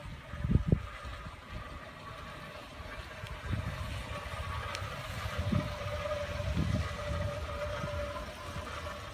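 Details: 2012 Hyundai Elantra rolling slowly: loose, irregular low knocks and rattles from the rear passenger wheel, in both drive and reverse, without gas or brake. Cause unknown.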